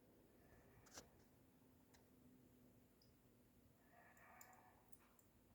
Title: SeaSonic SS 620GB 620W CLICKING NOISES in STRESS (HL2 RTX)